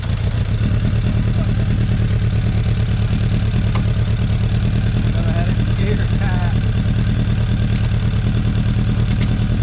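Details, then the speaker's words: 2004 Suzuki Katana 750 under restoration, aftermarket D&D exhaust: steady even idle pulsing about three times a second, deep exhaust note, no knocks or misses; healthy. "once you hear it sounds pretty good actually it's d d exhaust out of fort worth texas it's old school but man it sounds nice especially for 750 katana wasn't expecting that"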